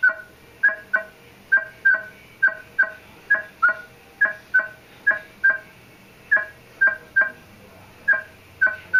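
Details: Minelab E-Trac metal detector with a quarter waved past a certain distance from the coil: tonal beeps near 1.5 kHz in uneven pairs, carrying a hollow knocking edge like tapping on tubing. Knocking tone on a distant target.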